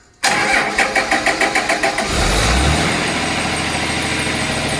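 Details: Cummins 6.7 turbo diesel test engine starting as fuel switches to HythanolPLUS, diesel still in lines and injectors: about ten quick cranking beats, then catches and settles into an even, steady idle with no misfire; clean start.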